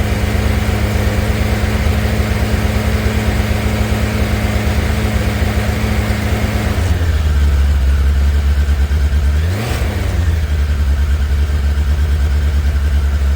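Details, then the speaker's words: Cheap motorbike cold-started on choke: settles into an even, steady beat and picks up cleanly on two light blips, not revved much; sounds like it runs well. Normal cold start on choke. "that was a bit of a start with the choke on from a cold start so I can't rev it too much plus I don't really want to annoy my neighbors by ring that thing but it sounds like it runs good"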